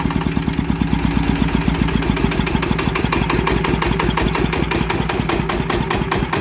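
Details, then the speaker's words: Yanmar TF120 single-cylinder diesel brought in for low power, heavy smoke and short life; after work, revved and loaded: steady, even thumping with no knocks or misses, revs rise quickly, engine sounds normal and healthy. "ความรู้สึกว่าก็คือขึ้นไวนะครับรอบใช้ได้นะครับอ่าเสียงก็เขกอะไรดีปกตินะครับฟังเสียงแล้วมันปกติดีนะครับ"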